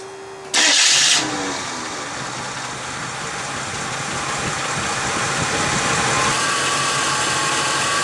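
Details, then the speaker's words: 1987 Jeep YJ Wrangler 258ci inline-six restarted after setting base timing to about 9° BTDC and tightening the distributor, vacuum advance disconnected: brief crank, fires right up, steady even idle with no misses, knocks or ticks; normal idle. "Yep, distributor didn't move, everything's all bueno."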